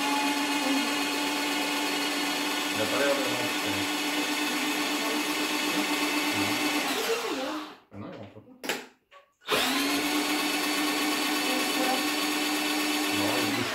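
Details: New Tacklife electric drain auger: steady high motor whine at constant pitch, short stop, clean restart; running normally.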